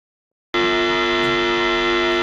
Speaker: So whenever you run more than one amp or line, you have the potential to run into ground loop problems. This is what a ground loop sounds like.